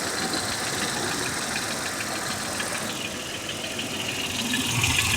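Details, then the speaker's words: Mercedes ML320 W163 with M112 engine at cold idle: a fairly regular light ticking knock, about three per second, that disappears when throttle is added; engine knock at cold idle, source undetermined. "в общем-то при добавлении газа звук пропадает"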